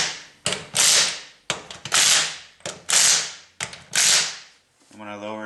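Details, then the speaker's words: 2000 Plymouth Neon rear wheel spun by hand after replacing the worn rear hub bearing assembly (drum brakes): light swishing scrape about once a second, only brake shoes touching the drum, no play; normal. "okay feels good you're just hearing the brake shoes touching the drum no more play it feels beautiful"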